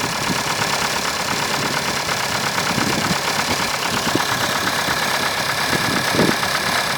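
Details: 1992 Opel Astra F, C18NZ engine, 265,000 km indicated, automatic, cold start before lifter replacement: light, fast ticking from the top of the engine at idle, the hydraulic lifters knocking on a cold engine.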